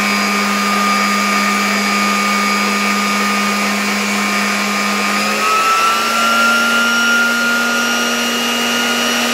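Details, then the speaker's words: 1987 Zelmer 200.8 vacuum cleaner with replacement type 300 motor, fed through a voltage regulator at reduced voltage, after the original sparked excessively; steady, even whine with no crackle or sparking, pitch dropping slightly, revs a bit lower; normal running. "No i teraz muszę powiedzieć że działa to dużo dużo lepiej kompletnie nie widać tutaj na tym silniku żadnego iskrzenia i też mam wrażenie że jednak te obroty są troszeczkę niższe"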